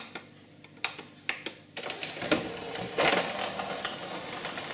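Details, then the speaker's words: Pioneer CLD-1850 LaserDisc player tray opening after deck-lift repair: sharp plastic clicks then a scraping rub midway as a plastic arm rubs against three small relay switches under the front of the machine; abnormal tray mechanism noise. "What's happening there is there's three little relay switches. Three little relay switches at the front of the machine, underneath here. And the little plastic arm that you just saw there is basically, it rubs against them."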